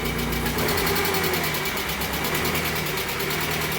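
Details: Barn-find 1980s BMW E30 M Sport, parked for years, first run after the dead fuel pump: steady, even idle with smooth regular firing and no knocks or misses.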